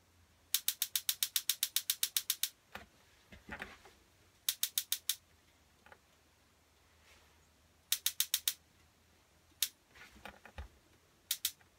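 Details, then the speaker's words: Atwood RV stove after replacing the twist sparker with an AA-battery push-button electronic sparker; crisp quick ticking about seven clicks a second while held, much quieter than the old twist sparker; sparking properly. "And you can hear that it's a lot more quiet than those old twist sparkers. So that most likely won't even wake up the family when I'm firing up the kettle."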